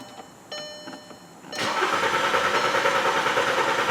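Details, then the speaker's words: 2007 Volkswagen Jetta 2.5L, no check engine light at key on, no tach movement, fans come on high: click, then steady even cranking about three per second that never catches; crank no-start, ECM not communicating. "you can see doesn't start give it a sec the fans will come on and again so good sign of no communication"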